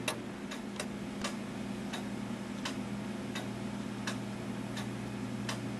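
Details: Gilbert 1913 count-wheel clock movement: a steady tick-tock at about 80 beats a minute, evenly spaced over a faint room hum; normal, in beat.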